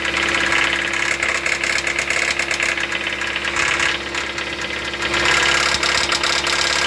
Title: She's Good For 10,000 More Miles. What's A Rod Knock?